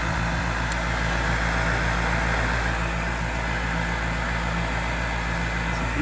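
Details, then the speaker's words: York gas furnace in a crawl space, draft inducer due for replacement: loud steady drone with a rough beating rub about four times a second, like the wheel hitting something; failing draft inducer motor noise. "we're going to do a draft inducer on it I thought I smelt gas on it too so I do a uh gas leak test and uh there's some weird noises in the crawl space also so take a [Music] look where we headed oh it's right there okay that sounded like hell"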